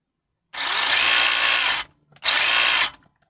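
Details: Tamiya Holiday Buggy DT02 after ESC and brushless motor swap: two clean bursts of high, smooth electric whine spinning up and cutting off evenly with no grinding or ticking; healthy brushless motor, notable drag brake.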